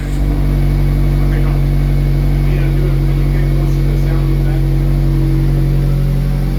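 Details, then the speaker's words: 2022 Mazda Miata MX-5 RF Club, first run with new GWR exhaust fitted, top down. The exhaust gives a loud, deep, even drone that sounds much throatier, with no knocks, ticks or rattles. Normal running. "Wow, this sounds very different, isn't it? Definitely sounds more throatier."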